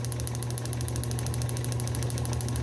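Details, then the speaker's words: Restored Fairbanks Morse FM-J 2B 6D magneto for a 1938 John Deere G, formerly corroded and frozen, rotor rebonded, points 0.018 in: fast, even snapping ticks over a steady motor hum, clean regular spark at both gaps. "you can hear the rhythmic snapping and you can tell that we've got good solid Spark at both of those two points that's really good"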